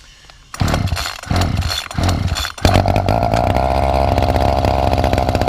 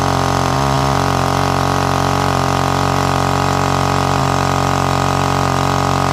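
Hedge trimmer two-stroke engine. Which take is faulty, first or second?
first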